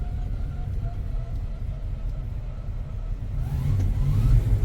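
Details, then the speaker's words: 1970 Chevelle, 84,284 miles: low uneven idle that lumps irregularly and briefly rises, struggling not to stall; the engine had just died and still seems to want to die. "interesting it seems like it wants to die anyway"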